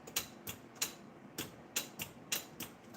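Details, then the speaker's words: Furnace gas valve clicks sharply about every half second when switched on, but no gas comes out when opened and no gas smell; thermostat suspected; gas valve clicking with no gas flow. "The thing is when I turn it all on, you could hear the valve clicking on here. You can definitely hear the valve clicking."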